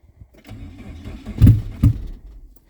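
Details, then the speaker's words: Chevy Tracker, fuel-injected, after fuel pump replacement and not run in a long time, gaskets off so loud: starter turns in heavy uneven bursts, engine doesn't catch; long cranking before start. "maybe it's been a long time since she ran"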